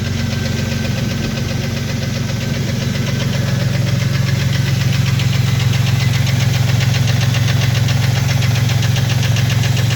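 Steady idle with a hollow, even knock riding on the low rumble at about 220 a minute; sounds like piston slap from a broken skirt.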